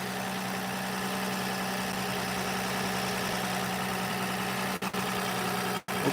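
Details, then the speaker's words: 2006 Toyota Avalon 2GR-FE V6, once thought locked but actually an incorrectly installed starter, now started right up: steady, even idle with a smooth hum, no knocks or misses, two brief dropouts; seems fine, still being watched. "So far, I'm pretty sure we're fine. It's just hard to say. I just want to let it run for a little bit and make sure."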